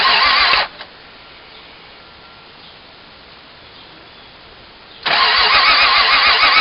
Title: Won't Start